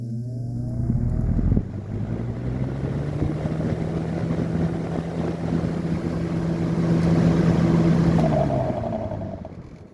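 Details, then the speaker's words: 1995–96 Lasko 3723 box fan, first test, high speed; steady low motor hum with faint extra rattle; owner suspects dry bearings or missing thrust washers (end play): fan motor noise. "Yeah, there's that noise. Actually, that might just be thrust washers. Probably could use some thrust washers."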